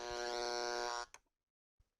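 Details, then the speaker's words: Noise sniffer plugged directly into an AC wall outlet, before a Panamax M8-HT Pro filter: steady buzzing static for about a second, then clicks and silence, revealing noisy mains power; AC mains line noise. "we'll take this device which is known as a noise snipper and it picks up any noise on an ac line and turns it into audible static so first we'll try it out right directly in the box you can hear how noisy the ac power is"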